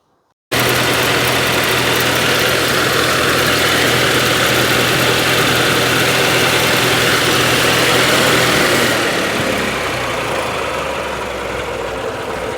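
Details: 1932 Austin Heavy 12/4 Windsor, 27 bhp four-cylinder: smooth even four-cylinder beat about two hundred pulses a minute, easing lower near the end; clean steady normal idle.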